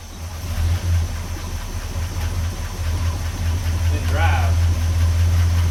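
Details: 1969 Chevrolet C10 with 396 big-block V8, first start after sitting about 20–28 years, timing set and ignition rewired: catches and holds a deep, steady low rumble that slowly builds, no knocking or stumbling. Normal idle.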